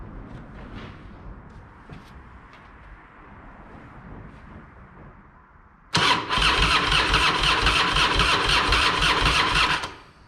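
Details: Harley-Davidson Fat Boy, sat a couple of years, just after replacing the diaphragm fuel valve: a few quiet clicks, fires straight up into an even, loud V-twin lope for four seconds; healthy start.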